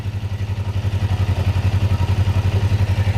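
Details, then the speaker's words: Parallel twin (Ninja 500R) at operating temperature, idle set to about 1300 rpm after carburetor/throttle synchronization; steady, even low putter with no misses or hunting, sounds healthier and more synchronized; normal idle. "It already sounds healthier. It sounds happier. The engine sounds like it's more synchronized."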